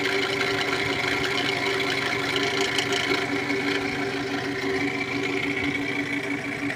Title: Camry 2008 xle bad alternator pulley